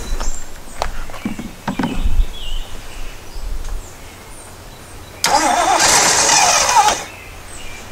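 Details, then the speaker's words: 1977 Jeep CJ-5 after sitting, spark confirmed at the coil wire, gas poured into the carb with no fuel system hooked up: a few cranks and coughs, then it runs strong for a couple of seconds before dying. "again it actually runs it's probably it's going to run for right now because that is the hose from the fuel tank the fuel pumps down there well actually no yeah so that's anyway there's no fuel system hooked up here"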